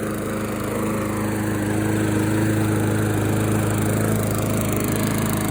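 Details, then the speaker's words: Craftsman 21-inch mulcher mower with Briggs & Stratton engine, after cleaning a stuck-open exhaust valve that left no compression: runs at a steady, even speed with smooth exhaust, no popping. "That mower had no compression before I cleaned off that little exhaust valve head. And it runs great now."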